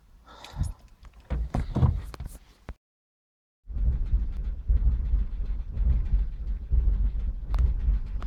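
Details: 2002 Vauxhall Corsa C 1.0, misfire since recent oil change, codes P0300, P0301, P0302: low idle rumble stumbling unevenly with irregular dips; spark plugs and coil pack replaced without fix, garage suspects ECU.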